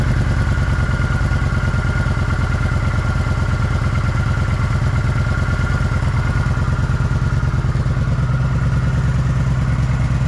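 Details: Kawasaki Vulcan 900 V-twin after tank breather check valve fix for no-start: even steady low beat settling into smooth idle, no misses or stumbles; runs normally.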